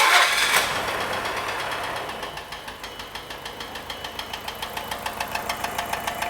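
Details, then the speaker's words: 1991 Nissan Figaro, boost tube refitted, checked with a screwdriver stethoscope: after start-up a sharp, regular tap about three or four a second grows louder at idle; engine knock, suspected lifters or timing belt tensioner bearing, oil pan to come off. "yes it's probably knocking more than likely let's turn that nonsense off yeah so it's got big problems"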